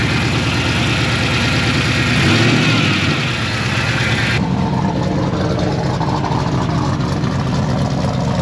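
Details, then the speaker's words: L98 LS V8 swapped into a Toyota Land Cruiser 80 Series, first start before bleeding brakes and dyno tune, with an oversized cam: loud, deep, choppy loping exhaust at idle that settles and keeps running, sounding rowdy like a party; healthy normal cammed V8 idle. "bloody ella thing sounds rowdy it's a party just as we thought it's it sounds like a party"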